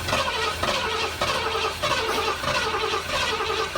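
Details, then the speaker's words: 1973 Ford Econoline 302 V8, parked 7+ years, cranking to get oil up to everything: even steady churn with no knocks, grinding or catching; healthy cranking. "just trying to get oil up to everything that's pretty cool"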